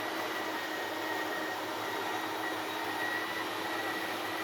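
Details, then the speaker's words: RV slide-out extending, RV level and engine off, extend button held: steady, even whirring drone with a faint high whine, no grinding or stutter; motors load up at end of travel, then it parks; normal extension. "As the slide reaches the end of its travel, you'll hear the motors start to load up, at which time you just let off the button and it'll kind of park itself."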